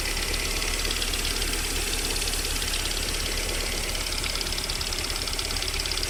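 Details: VAZ 21127 engine idling cold: uneven tapping knock roughly three per second over the running note; unexplained warm-up knock that lasts until about 40 °C, then disappears.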